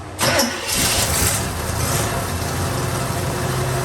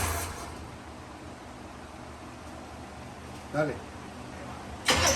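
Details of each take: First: 1957 Chevrolet Bel Air, abandoned for about 19 years, with a suspected bad fuel pump: a sharp catch, then a steady, even low rumble into a smooth idle with no knocks or misses; sounds healthy. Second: 1957 Chevrolet Bel Air sitting 19 years, first start attempt with fuel poured into the carb: loud rough cranking with uneven chuffs that never catches; fuel pump suspected bad, not confirmed.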